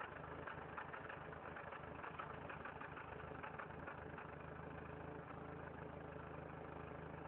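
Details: Factory turbo Toyota 4Runner idling low and uneven, exhaust pulsing erratically; revving above 3000 rpm stops the pulsing for a while before it returns; rough idle, cause unclear.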